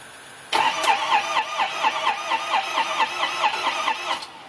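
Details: 2005 Ford F250: starter turns the engine over evenly at about four compressions a second for nearly four seconds but it never fires; cranks, won't start.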